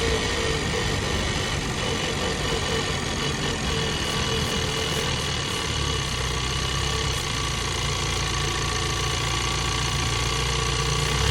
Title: 2022 Bronco 2.3 liter engine noises